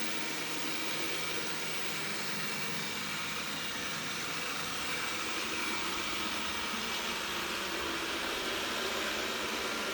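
A steady, even buzzing drone runs throughout with no change in pitch; the machine is buzzing abnormally, but the cause isn't clear.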